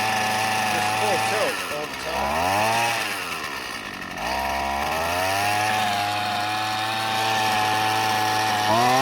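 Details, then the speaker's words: Husqvarna 128CD trimmer found curbside, first run attempts after fueling, pulled one-handed: revs wander with a soft blubbery burble and no clean top end; running rich. "Yeah, that's running rich."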